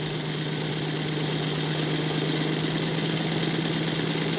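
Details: Model train NGS Northern clone chassis with 3D-printed parts and all eight wheels, pulling an extended K5 tender: even steady hum, no knocks or gear noise, smoother than earlier ball-bearing chassis; normal smooth running.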